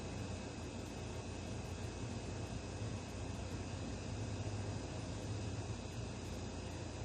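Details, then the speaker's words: 1963 GM PD4106 bus conversion, rebuilt two-stroke diesel not run for two weeks, started after adding a second 8D battery for more cranking power: fires almost immediately and settles into a steady, even low rumble with constant hum, no knocks or misses; normal idle. "pretty cool blaze right up to live didn't [Applause] I don't think it turn twice"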